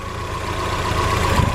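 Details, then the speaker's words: Mazda Eunos Roadster, about 50,000 miles, first start after 5 years sitting, fresh oil: low, steady idle with even beat, earlier slight misfire now gone; normal idle. "the engines also healthy again it had a little bit of a misfire but now it seems like it's perfectly fine it's not misfiring what whatsoever"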